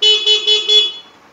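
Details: Horn of a used Suzuki Satria FU fuel-injected motorcycle during a pre-purchase electrical check: several short, bright toots in quick succession, clear and strong with steady pitch and no rasp; works fine.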